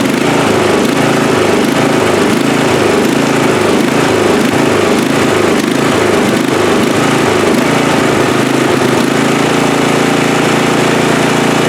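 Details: Free riding mower, engine test after gas tank was drained and fuel added; it had been flooding before starting. Small single-cylinder engine holds a steady, even buzzing drone with no misses or surging: normal running.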